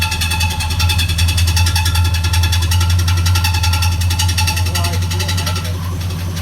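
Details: 1969 Chevy C10 with big-block 396 V8, first start after sitting 20+ years, fresh timing and ignition wiring, new carburetor: steady idle with a light tick about two or three per second over deep exhaust rumble from the lower engine; source unconfirmed.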